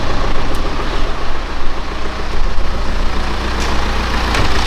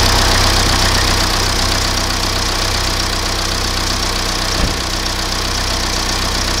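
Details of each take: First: BMW E87 1 Series with N47D20 177 hp diesel, brought in for suspected timing chain noise, after reassembly: steady, smooth idle with no knocking or ticking, noise gone though an internal engine issue remains; normal idle. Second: BMW E87 1 Series, N47D20 177 hp diesel, suspected timing chain stretch: idle with fast regular knocking rattle about four per second, steady throughout; crankshaft pulley found completely failed.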